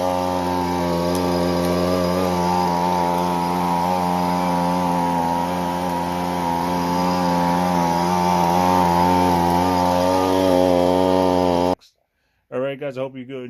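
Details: Husqvarna 125B two-stroke leaf blower after replacing fuel lines and fuel filter, which fixed bogging and shutting off after a minute; test run holds a steady high buzz for about twelve seconds without sagging or cutting out, running normally.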